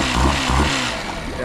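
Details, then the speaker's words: Cheap small outboard motor with a newer clean filter: short burst of smooth, steady buzz with no stumbling, misfire or hesitation; running cleanly. "no hesitation at all I think we got a good running motor here"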